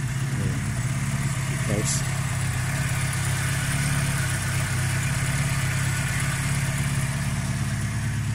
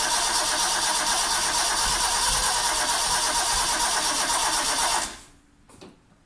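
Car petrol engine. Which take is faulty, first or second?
second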